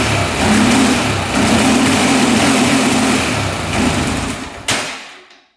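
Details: 2004 Honda 400EX single-cylinder quad after carb clean, valve adjustment and new spark plug (DPR8EA): revs unevenly, surging and sagging before cutting off; still bogs, new plug didn't fix it, weak spark noted, cause unclear.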